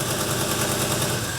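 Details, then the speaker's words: Modified early-2000s show car at idle, heard as a flat-four with a rapid, dry puffing chuff on every exhaust pulse, not metal-on-metal; grass under the front was burnt, so exhaust manifold gaskets are suspected. Exhaust manifold leak. "It sort of sounds like all the noise is from here and it doesn't sound metal on metal, it sounds like >> And it does sound puffy, doesn't it? >> Sounds puffy. Yeah, like it's puffing."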